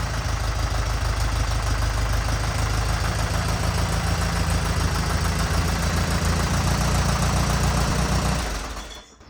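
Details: 1950s Allis Chalmers CA four-cylinder tractor, revived after 20+ years seized, new rotor and condenser: deep, steady chug with even beat, no knocks or misses, before shutting off; runs healthy.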